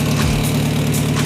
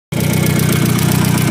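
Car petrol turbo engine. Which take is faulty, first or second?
second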